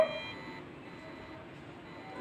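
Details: Bluetooth audio player module whose every blink is heard in the speaker as a short beep near 650 Hz, then faint hiss from supply-coupled noise; the fix is adding a diode and resistors on the supply.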